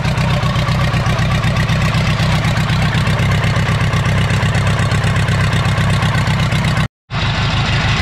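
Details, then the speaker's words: 1980s Komatsu D31S track loader, Cummins 4D105-3 diesel, sat 5-10+ years, first start after reconnecting fuel pump; heavy uneven chug about four pulses a second, lumpy beat, shaking; rough idle, cause unconfirmed. "It even idles, although it's shaking the whole earth."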